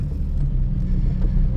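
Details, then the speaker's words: 2004 Toyota Tacoma four-cylinder, 141,000 miles, after fixing a cylinder 1 dead miss caused by a dead factory injector when restarted heat-soaked: steady, even low rumble after several heat-soak restarts, no misfires or dead cylinders. "Absolutely no misfires, no dead cylinders. I'm gonna call this one fixed at this point."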